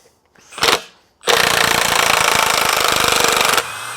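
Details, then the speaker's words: Milwaukee M18 FUEL Gen 3 1/2" high torque impact wrench with 5Ah battery, on speed setting 2, backing out a 3/8 x 6 lag bolt held in a vise: a short spin-up, then about two seconds of rapid, even hammering that stops cleanly; a healthy impact mechanism. "I look through my tool chest and I happen to have one of these left this lag bolt 3 8 by 6. all right it says no pre-drillion required let's give it a try ready it looks good oh yeah liking it"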